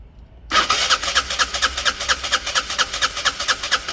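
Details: Peugeot Satelis barn-find scooter with immobiliser fault, wiring being bridged to bypass immo box; fast even starter chugging several seconds, no firing; immobiliser cutting spark and fuel.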